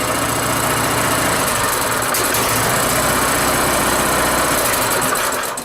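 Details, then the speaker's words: Rototiller single-cylinder engine after carburetor cleaning, started on choke with one pull: fast even buzz with light ticking noise from the rocker cover, then shut off; running well. "Okay, choke's on. How many pulls? One? Oh no. Wow! That's actually pretty freaking good. Got a little noise coming out of that rocker cover from the back and forth, but wow! That's actually really good."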